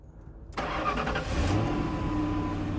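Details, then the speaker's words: 2007 Lincoln Town Car Signature Limited V8 startup: short crank, catches at once, flares briefly like a truck, then settles into steady smooth quiet idle; normal. "These cars are very funny to me because when you start them up, it sounds like a truck because it has a V8 in it,"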